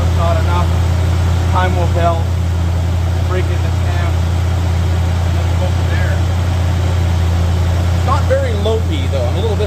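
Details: 1985 Mercury Marquis police interceptor 351 Windsor V8 with mild aftermarket cam, mufflers, timing 12° base/36° max: steady, even low idle rumble, no knocks or misses; not very lopey, slight blow-by; normal idle.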